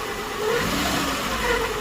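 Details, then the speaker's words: Maruti Eeco engine revving: light rasping, rubbing noise over the engine that eases as it settles; the customer complaint was caused by an overtightened timing belt, and after adjustment it runs with a normal sound. "तो इसका ये timing जो belt है ना उसका ही problem था timing belt ज्यादा tight होने की वजह से ये प्रॉब्लम दे रहा था"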